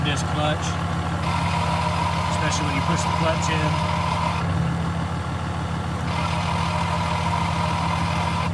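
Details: 2015 Ram 2500 6.7 Cummins, G56 six-speed manual, 76,387 miles: loose metallic rattle chatters over lumpy diesel idle, coming from the clutch; clutch rattle at idle.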